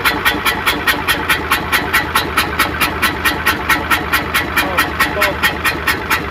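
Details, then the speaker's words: Hino Euro diesel truck with smoke and missing complaint, idling after start: sharp even chuff-chuff puffs about two per second over low idle, which the mechanic attributes to dirt in the valve seats; exhaust chuffing from leaking valve seats. "हमने इसमें आवाज आ रही है छुप-छुप की तो अग्रवाल सीटों में कचरा हुआ नॉर्मल"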